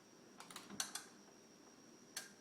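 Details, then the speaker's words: Hitachi TV plugged in: a few faint clicks with a distinct second relay click right after plug-in; pressing power does nothing, standby light goes off, set never powers up. "hear that second click it says that nothing's going to happen so here we are turning it on does nothing"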